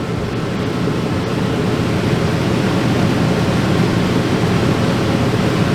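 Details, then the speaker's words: RV camper rooftop air conditioner after sitting a few years: steady rush of air, no compressor hum; fan draws 2.6 amps, compressor draws none on clamp meter, either not running or no amperage; fan running, compressor not running. "Yeah, the fan's pulling 2.6 amps. But the compressor either isn't running at all or it's pulling no amperage."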